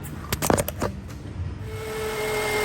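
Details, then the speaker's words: 2011 Toyota Camry alternator hum at idle: a steady mid-pitched hum that stops when the alternator's electrical connector is unplugged with the engine running and returns when it is reconnected, confirming the alternator needs replacement. "you see it has stopped making the noise when I connect this grip again here you can hear it again remove the grip it's quiet connect it you hear it so that confirms the alternator needs replacement"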